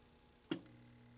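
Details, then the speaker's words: CinemaTronics arcade monitor chassis after repair and repopulation, original board reconnected, first power-up: a sharp snap at switch-on, then a faint steady buzz and low hum as the yoke chatters; deflection running, no fuses blown. "i hear it chattering fuses seem to be okay yeah it sounds good definitely hear it chattering no fuse blowage nice"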